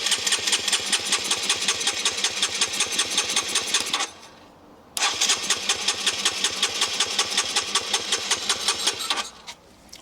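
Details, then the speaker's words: Low-mileage (8,700 on the clock) abandoned Honda CBR125 that would not start: steady starter cranking with pauses, never catching, while the air inlet is covered to draw fuel; the fuel pump sounds wrong and is suspected. "I think it's the fuel pump because it doesn't sound right"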